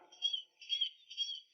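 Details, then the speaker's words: 2011 BMW X5 at 195,000 km, right front suspension pressed down: faint, thin squeaks about twice a second; much louder on the left, traced to aged rubber of the left front shock absorber top mount. "有声音但是不明显。"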